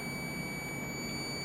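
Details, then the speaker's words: Water Ace sprinkler pump motor that wouldn't start, disassembled: steady unbroken multimeter beep; centrifugal start switch contacts show continuity, though the switch was later found to be the fault. "we still have continuity as I should so let's just try to run it again"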